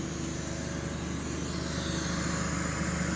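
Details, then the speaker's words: Loud steady compressor drone with a fast rough rattle over the hum, harsher than normal; fan appears blown and owner suspects a possible internal air leak. "I I got it outside the door too loud there to shut off this thing is on Fan's blown you can hear it might have an air leak inside there I got to check that out"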